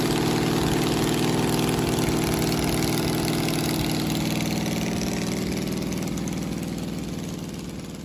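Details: 1969 Camaro 396 big block Chevy V8 idling after a new cam and new lifters replaced a worn cam lobe behind a weak number seven cylinder. Steady, even idle, no tapping or misfire stumble, fading smoothly; runs clean.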